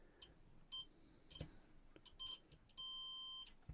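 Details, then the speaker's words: JVC RC545 radio cassette restoration, replacement battery contacts and spring taken from a cleaner donor unit: short high beeps then steady half-second meter tone; continuity good. "so if I just do a quick check on the continuity yeah we're all right"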